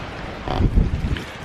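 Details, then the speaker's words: Cold start on a 2000 BMW E46 323ci coupe: engine catches with an uneven, lumpy surge, then stumbles and sags, running rough like a misfire, which comes and goes; fuel pump keeps running, owner suspects a leaky check valve bleeding fuel-rail pressure. "So as you can tell, she's running like a bucket of pus."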